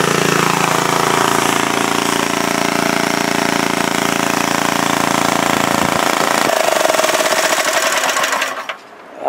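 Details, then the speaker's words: 1942 Breezy antique walk-behind tractor single-cylinder engine after repair with doubled glued head gaskets: steady even chuffing at fast idle, no misses or knocks, until shut down; normal running. "like it was made to do it Wow consider what that engine was I'm surprised it runs as well as at us"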